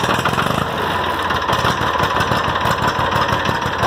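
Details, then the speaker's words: 6.0 Powerstroke diesel after replacing alternator delete with a new alternator, cold start: even, steady diesel clatter at idle, regular firing, no knocks or misses; normal idle. "so I deleted the old alternator delete and put a new alternator on it now it runs great homegirl"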